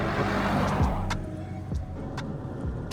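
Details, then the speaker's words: Land Rover Freelander 2 diesel on test drive after blown boost pipe replaced with upgraded pipes and codes cleared: pulls cleanly then eases off, no whooshing or whistle, no black smoke, engine light off; boost system sealed. "These upgraded pipes, brilliant. It was awful the way it was driving. It was so sluggish, that horrible whooshing noise. This is fantastic."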